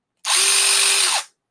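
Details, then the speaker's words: New Milwaukee M12 FUEL Gen 3 1/2" brushless drill/driver: smooth, even high whine for about a second, steady pitch from spin-up to stop. Motor and gears running normally. "that's what it should sound like oh dude this thing feels strong too"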